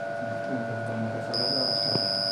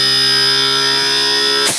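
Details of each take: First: AC inverter compressor on test bench with faulty PCB, blower motor running: compressor tries to start, high electronic whine over fan hum for about two seconds, then stops; cuts out after start due to board fault, before repair. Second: AC compressor after PCB repair, connected on test bench: previously started then cut out after seconds, now runs under load reaching full speed; steady even whine without surging or cutting out; normal running, board fault fixed.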